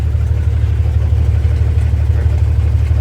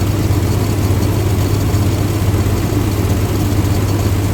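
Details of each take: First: 1962 Dodge M37 truck revived after sitting about 45 years, low idle with a slight miss, about two stumbles a second; wrong plugs fitted, regular spark plugs in place of the correct tube-top type, with the plug wire ends cut off. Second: 1962 Dodge M37 petrol engine, first run after sitting 45 years, on temporary fuel supply: steady low, even rumble, idle lowered a touch and smoother, no knocks or misses; normal idle.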